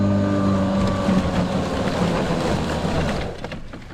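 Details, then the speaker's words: Kobalt 80V Max electric lawn mower, about four years old, cutting under load: a steady hum that sags in pitch and fades as a weak, failing battery runs out, after which the battery was swapped. "And I don't know if that's this battery or not, but you get decent power all the way through, but you can kind of hear it audibly slow down right before the battery's about to die."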